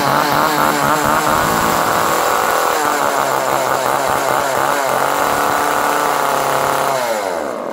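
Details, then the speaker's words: Chainsaw under repair, previously flooded, running on choke: a high buzzing two-stroke note running strong, wavering a little before winding down; a healthy saw motor. "Ooh, that sounded promising. It was a little flooded from before."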